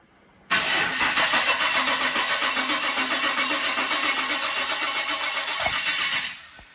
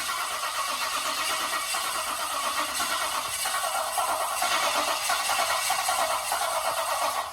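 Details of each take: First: Holden VL with an RB30 turbo swap, first crank after filling the oil, with the ignition unplugged so there is no spark. Steady, even cranking at about four turns a second for nearly six seconds with no grinding; sounds healthy. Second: VL Turbo with an RB30 engine just installed, cranking after adding oil: steady rhythmic starter cranking for several seconds without catching; turns over fine but has no fuel.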